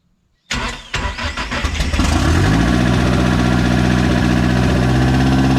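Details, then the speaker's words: Project car Judas on Speeduino EFI, first start after timing correction and a new starter: brief crank, catches, then a steady idle that hangs noticeably high; owner says a few leaks need fixing. "you started okay so it's island high so we have a few licks daddy needs to fix a couple licks"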